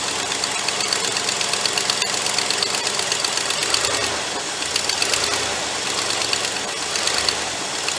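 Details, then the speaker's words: Cobbled-up 390 engine idling just after restart, electric choke suspected not working; loud, uneven, hissy idle with lumpy misses about once a second from a massive vacuum leak at a hole behind the carburetor, heavy blow-by seen. "'s a massive vacuum leak somewhere on this thing could we see there's a hole something that happened in the back of this carburetor"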